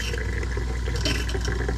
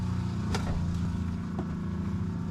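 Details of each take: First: 2021 Aspen Trail LE 1950BH RV during de-winterizing, water diverted through the tank: heavy rushing flow with deep rumble and irregular gurgling spurts, like a marble pushed through; lots of air still trapped in the water lines. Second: 2021 Aspen Trail 1950BH RV during de-winterization, bypass set to tank, pump switch on: low steady motor hum with a few handling knocks; water pump running normally, pushing air and antifreeze out and pressurizing.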